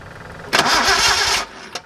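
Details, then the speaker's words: Datsun 240Z with a junkyard replacement engine after ignition timing was set: about a second of starter cranking that never fires; spark confirmed at a plug, so fuel delivery to the carburetors is suspected next. "Hold it. Just we definitely have spark. So we got to make sure we got fuel. So let's check the carburetors, see if there's fuel in them."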